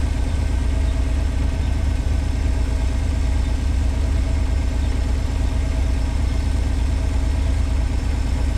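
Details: 1986 Pontiac Fiero SE V6, automatic, up to temperature: steady, even idle at 1,065–1,070 rpm with no misses or knocks, too high. It hits hard going into gear. Owner suspects vacuum leak, idle control or sensor issue.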